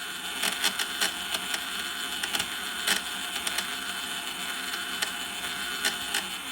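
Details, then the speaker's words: Dolphin Nautilus Plus pool cleaner power-up self-test after impeller motor re-solder: light, fast whirring with scattered gear-train ticks as the wheel drive motor runs forward then backward. Normal drive motor self-test. "So now when I turn it on, it's going to run a self-test, and you'll be able to see what the voltage is here for your impeller motor, and it'll show the different voltages. So that's the wheel motor doing its thing."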